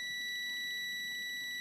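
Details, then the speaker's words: Washing machine timer that reportedly won't return, tested on its wire with a continuity tester: a steady high beep holds throughout, showing continuity; timer return circuit is good, and the capacitor is also fine. "Okay mga parekoys. Okay ang kanyang timer. Okay siya."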